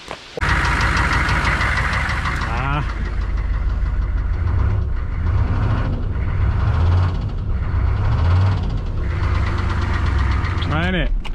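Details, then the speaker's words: Heavy, deep knock pounding steadily through idle on a 1994-1995 6.5 TD diesel after an oil leak, persisting with oil topped up to max; crank bearing knock down in the bottom end. "unfortunately sad news. It sounds like it was down in the engine. It definitely sounds like a crank bearing knock now."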